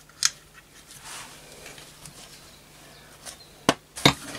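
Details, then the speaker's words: Setra pump-up air rifle after repair and reassembly with silicon-greased pump seal and O-rings; quiet pump strokes then sharp cracks as it fires, no hiss afterward, not holding pressure inside; normal pump and fire cycle, problem cured. "and that sounds really good and it's working excellently and not keeping any pressure inside so I think I've cured the problem"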